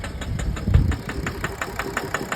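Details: BMW N57 diesel idling with a sharp, regular knock about five or six times a second; injector knock versus bearing in question. It starts easily and quietly on five cylinders with that injector disconnected, which points to the injector.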